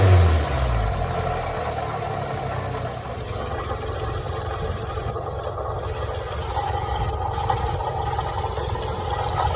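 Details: 2005 Toyota Camry XV30 four-cylinder idling with dull uneven knock resembling piston slap or rod knock; diagnosed as bad water pump rather than engine bottom end.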